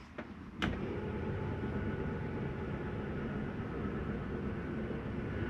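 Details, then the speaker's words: 2022 Coachmen Catalina 303RKDS travel trailer, bedroom slide-out retracting: single clunk as it engages, then steady even motor drone while the slide draws in smoothly; the noise near closing is the mechanism stopping itself, normal. "You can hear it coming in. That little noise is okay to hear. That's just the slide mechanism telling itself not to come in any further."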